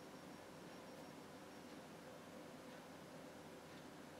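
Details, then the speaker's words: PC case recorded from behind, with fans tuned for low noise, possibly run on 5V or 9V through a molex adapter: only a faint, even hiss and soft airflow with no whine, rattle or pulsing. Normal quiet running. "quite silent this is from behind and you can see this is from behind and you can hear how silent it is"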